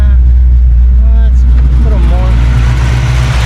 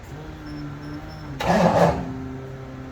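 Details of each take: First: 1989 Mustang Notchback carbureted V8 after starter replacement and carb fix, base timing lowered to ease starting and drop idle: settles into steady even idle just under 1000 rpm, strong low rumble, no misses; healthy. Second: 1989 Mustang Notchback starting on newly replaced starter, battery not yet secured: quiet hum then harsh half-second grinding burst as it cranks and catches, sounding like starter grinding on the flywheel; cause not yet found.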